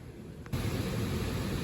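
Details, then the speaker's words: Electric resistance air handler newly installed in a gas-to-electric HVAC changeover, first power-up: quiet, then a sudden steady low rush of air that holds even. The blower starts normally. "So now all it's left to do is fire it up, test it out. It just came on. Let's have a look. I feel air."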